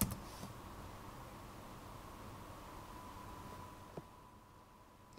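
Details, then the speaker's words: Fischertechnik Mydfir driving robot, after a very short runtime: faint steady high motor whine but the drive does nothing; RF interface intermittently reports no connection or data transfer, battery pack already changed, cause unknown. "I hear the motor whine, but somehow it doesn't work anymore."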